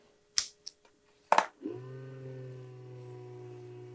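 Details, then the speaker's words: Salvaged 486 PC power supply at first power-on: switch click, then a steady low drone with buzzing hum at even pitch; power supply fan is noisy. "okay I've got a noisy fan in that power supply that's for sure"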